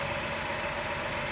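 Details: 2010 Dodge Charger 3.5 V6 at steady idle: a faint, quick, diesel-like light tick riding on top, a top-end valvetrain noise attributed to the rocker arms; a fix is done via airbox and throttle-body bracket removal.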